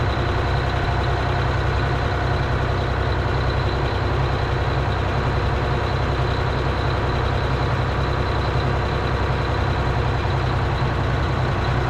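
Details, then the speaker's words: 1977 Eagle bus with a 6V92 two-stroke diesel, started for the first time in 10 years: deep, steady idle with a faint uneven puff through the exhaust and a little smoke; exhaust leaks suspected. "Sounds like we got a few exhaust leaks. Little bit of smoke."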